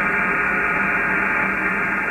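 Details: Steady harsh buzz over receiver hiss on a ham radio HF receiver, low end of medium wave near 474 kHz; interference from internet provider equipment, eliminated once found.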